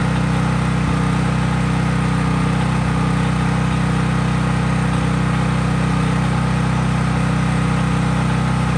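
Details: Craftsman 5000-watt generator outdoors after a cold start, with no load (only an LED bulb plugged in): a loud, steady, even engine drone at constant speed, no misses or knocks; normal clean running.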